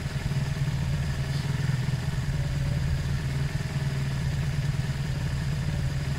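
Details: Zontes 125 motorcycle after a fuel tank flush of rust, twigs and water, carb previously blocked: steady, even single-cylinder putter on half choke with no misses or stumbles; idling cleanly.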